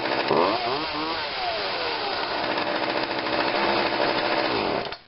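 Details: Craftsman 16-inch chainsaw made by Poulan, after coil cleaning and adjustment and carburetor cleaning and adjustment, cold start after priming three times and choke: fires, revs, holds a clean steady buzz without stumbling; runs normally.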